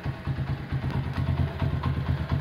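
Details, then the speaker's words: Honda CB100 K3 with CDI, after rework on a bike that previously would not idle down, started: low, steady single-cylinder idle, even unhurried pulse, smooth quiet head; idle now comes down low, normal idle. "Sekarang kita coba nyalakan. Sekarang langsam bisa kecil ya."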